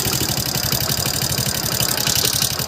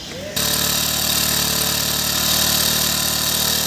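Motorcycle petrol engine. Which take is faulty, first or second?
second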